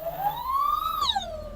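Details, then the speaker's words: Crosser CR1 e-scooter, over 2,000 km, with new controller replacing burnt one, blue and green phase wires swapped: high electric whine climbs steeply as the hub motor races in reverse, near 90 km/h on the speedometer, then sags. Hub motor runaway from wrong phase/hall sequence. "Поехал. Но неадекватно работает. Едет назад, видите? То есть он сейчас будет назад. Причём слышно, что мотор уходит в разнос."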